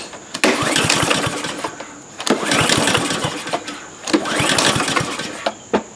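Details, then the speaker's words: Troy-Bilt TB240 mower with a Honda GCV160 engine. Fuel of unknown age, fuel valve open, oil present, automatic choke. Three pull-starts spin the engine but it never catches. Cranks but won't start from fuel starvation at a corroded, clogged carburetor. "It clearly does not wish to start as the as we had known."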